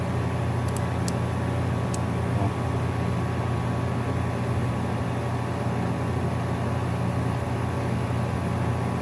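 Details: AC system repair on a home 85° inside: a steady low hum and even fan whoosh as the unit fires up after work. The motors read about 1.3–1.4 amps, one with a 7.5 cap; no rattles.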